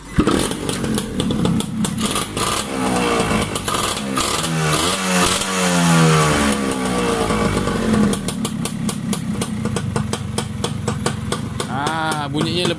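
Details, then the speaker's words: Yamaha Y100 two-stroke after the silencer was cleaned of carbon, with a new coil and racing plug cap: a crisp ring-ding idle and clean blips. It sounds fuller and less tinny than before; a normal exhaust note. "Tadi dia lagi bising, lagi tang. Ni bunyinya lagi padat."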